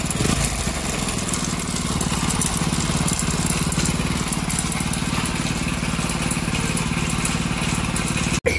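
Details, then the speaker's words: Hero Passion Pro motorcycle at idle, timing chain already replaced two or three times without curing it: fast uneven metallic "kach kach" clatter, three or four a second; timing chain rattle, tensioner gear found broken into pieces. "आप देख सकते हैं इसमें ये कच कच कच कच करके आवाज आ रहा है"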